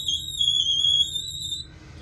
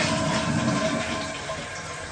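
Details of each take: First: Toilet fill valve gives a loud, steady high whistle with faint water rush only while filling and only within a certain water pressure range; valve deteriorated, fix is replacing it. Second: Toilet after replacing the whistling fill valve with a Fluidmaster Performax universal fill valve: a clean flush rush followed by a quiet, even refill with no whistle or scream; the new fill valve works properly.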